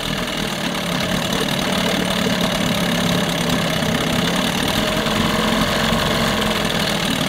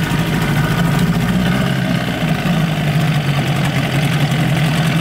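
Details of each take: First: 1988 Johnson Evinrude 6 hp short-shaft two-stroke outboard, after a water pump impeller repair: it runs rough and lumpy about ten seconds, then fades and stalls from fuel starvation; the plastic-top carburetor is suspected. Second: 1988 Johnson Evinrude 6 hp two-stroke outboard in a test barrel after water pump repair: steady, buzzy drone holding even revs without surging or cutting out; running properly.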